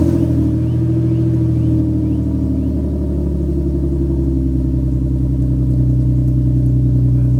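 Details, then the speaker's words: Lexus after fixing exhaust leak and crooked header bolts, first start without an exhaust leak in about a year: deep steady rumble at smooth even idle, no ticking or puffing; normal idle. "All right, so we're going to let it run for a few minutes. Everything seems great."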